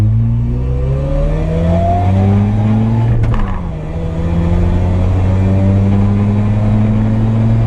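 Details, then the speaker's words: Mazda RX-7 after replacing trailing igniter, making secondaries mechanical and new fuel filter, stock muffler: full-throttle pull through the gears with smooth rising buzz and quick dip at shifts, no stumble; normal full-throttle run. "All right, so let's see what happens when I try to full throttle it."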